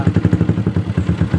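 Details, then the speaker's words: Yamaha Jupiter MX that only clicked and wouldn't start despite new battery, after testing starter relay (bendix switch): small single-cylinder engine catches and settles into brisk even putter of about eleven pulses a second; starts and runs normally. "normal stater bisa nyala Oke jadi seperti itu cara mengatasi starter Jupiter MX"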